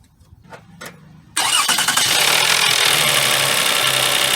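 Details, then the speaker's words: 2004 Toyota Sienna 3.3 L, being repaired for a crank-no-start, after worn ignition parts were replaced and the same coil pack refitted: short crank, then a clean start into a steady, even idle with no shaking. "it's not shaking at all nothing maybe the wires have some kind of problem"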